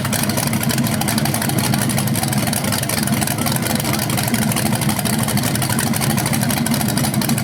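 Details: BluePrint 396 crate engine for a 1970 Camaro SS on its first run after oil priming and timing check: steady, even V8 idle rumble with regular firing beat, no tapping or grinding; no leaks, running normally.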